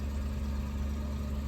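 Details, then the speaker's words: 1967 Chevrolet Malibu (Chevelle) barn find revived after 35 years sitting, idle raised with the single screw because it idled too low: even steady low rumble with no misses, hunting or stumbles; stable idle. "I had to adjust the idle so that it would stay running because it was idling too low, but there's just one screw on the back of the car."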